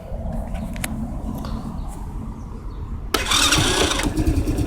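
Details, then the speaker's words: Riders Super Cub 110cc (Chinese Honda C90 clone, air-cooled single 4-stroke) cold start after sitting since yesterday, in neutral on choke: catches with ragged uneven beat, sounds ready to die, then stalls; temperamental, usually needs choke. "anyway, well, that's started. It sounds like it's going to cut out, and it did. So that's it on the choke."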